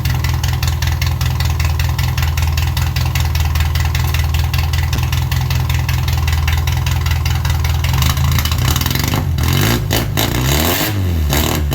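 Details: 1978 MG Midget 1.5 four-cylinder with side-draft carbs, revived after years neglected; lumpy, slightly uneven idle, then a throttle blip that stumbles a touch; runs alright but carbs still break up a little.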